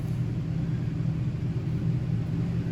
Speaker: After that, if we hit it again, it'll come into fan high. So just the high fan all the time.